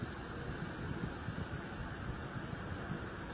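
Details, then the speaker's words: Sharp 100V tower air purifier in humidifying mode, fan turned up for stronger humidifying: an even, airy rush with no rattle, tick or wobble. It runs normally at high speed. "Đấy, các bạn nghe thì đã thấy tiếng quạt nó thổi mạnh hơn nhé. Đó, nó sẽ bù ẩm mạnh hơn."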